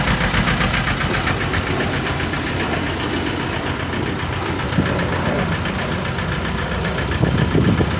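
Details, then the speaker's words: 1998 VW TDI diesel, ~500,000 miles, run on 80% waste vegetable oil; uneven idle with loping stumble. Misfiring badly from a stuck piston ring, with heavy blow-by pressure at the breather. "You can tell it's just misfiring pretty bad. It's a lot of pressure."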